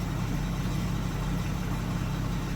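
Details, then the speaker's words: 2015 Ford F350 6.7L Powerstroke diesel, first start after gas was mistakenly put in and the tank and both fuel filters were drained and reprimed: steady idle with a low coarse rattle of unknown source, but running. "Oh! Listen to that. Something sounds rattly, but"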